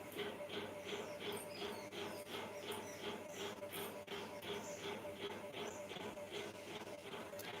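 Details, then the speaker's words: Very old ceiling fan on inverter power during a power cut: steady whirring hum pulsing about three times a second with a buzzy edge. The owner says it is silent on mains power and noisy only on the inverter, reason unknown. "भैया पता है यह बहुत पुराना पंखा है मेरा इसीलिए बहुत आवाज करता है। लाइट से नहीं करेगा इन्वेटर से आवाज करेगा। पता नहीं क्यों"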